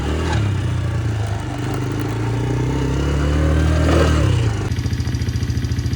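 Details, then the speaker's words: 2007/08 Polaris Outlaw 90 ATV, neglected, with a bad battery and started on a jump box: first runs a bit high, then revs up smoothly with pitch following the throttle and settles into an even idle putter; runs and drives normally. "So, there we go. It's running. It revs up. It drives, goes in forwards and reverse."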